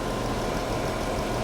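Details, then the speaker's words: Salvage-auction car, 116,000 miles, warming up: steady, even idle with a smooth low hum and no knocks or ticks; sounds healthy, cooling system holds pressure, no blow-by. "don't worry about the way it looks it sounds healthy"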